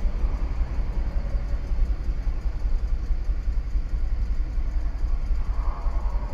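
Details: 2013 Audi Q5 2.0 with check engine light, misfire codes, fuel rail pressure too high and supercharger under boost: uneven, lumpy idle with an irregular low thump and ticking; cylinder two or three counting misfires.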